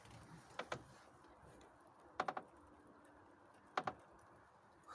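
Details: Lada Priora that began creaking after hitting a rut on the right side. Double and triple creaks from the front right strut area when steering right while driving. Strut and top bearing were inspected and looked fine; the cause is unknown, and a small crack was noticed.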